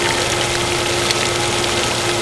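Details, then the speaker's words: Repaired water pump, under less than a year old, with the outlet pipe pinched off and no pressure tank fitted; it now builds past 50 psi, which it didn't before. Smooth, steady hum with a constant whine and water rush; normal running under load. "That's because we don't have a pressure tank on. But it's getting all the way up. It's going over 50. Wasn't doing that before."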